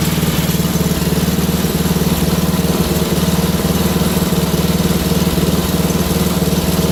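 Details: Wheel Horse GT2500 garden tractor engine just restarted: steady small-engine chug at idle with uneven pulse and occasional skips, running a bit off; owner suspects a stuck carburetor float, unconfirmed. Rough running.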